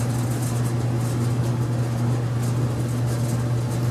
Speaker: And I don't know if you heard it, but this thing made a little click, and you can hear the fire flame up. So it should be heating.